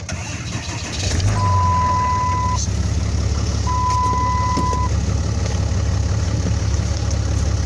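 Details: Dodge Cummins 5500 diesel after a new alternator was installed, started with batteries jumped. Brief crank, catches and settles into a steady low idle with two warning chimes. Alternator charging at nearly 15 V.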